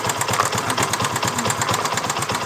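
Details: Motorcycle engine at idle with a fast, even clatter keeping time with the engine: cam chain knocking, attributed to the tensioner. It is removed by installing a manual cam chain tensioner.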